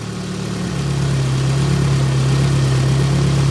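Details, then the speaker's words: Nissan 200SX S12 dual-coil engine idling on exhaust-side coil only: low steady idle that dips slightly but does not miss; normal idle. "it does dip down a little but it doesn't [Music] miss"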